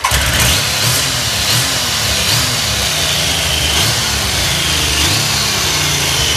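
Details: Triumph Sprint 900 starts on the first press of the starter and settles straight into a smooth, even idle with a throaty exhaust note; normal start and idle, engine sounds healthy.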